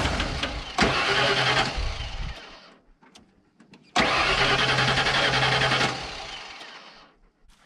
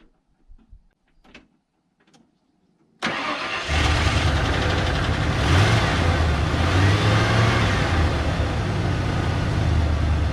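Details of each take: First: 1992 Ford F150 XLT, 302 V8, E40D automatic, with a new battery: two steady cranking bursts of about two seconds each that never catch. The fuel pump works but no fuel is being delivered. Crank, no start from fuel starvation. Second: 1992 Ford F150 XLT after transmission work and no-start repair: brief crank catches fast and settles into steady even run with smooth low rumble; engine runs well.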